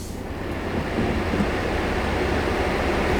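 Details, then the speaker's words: Ford F150 factory seat ventilation switched on in both seats; steady airy roar builds and holds with no rhythm, the seat ventilation fans running extremely loud. "你对面也开个通风。这个声音。这8级大风啊，这声音吵死了！"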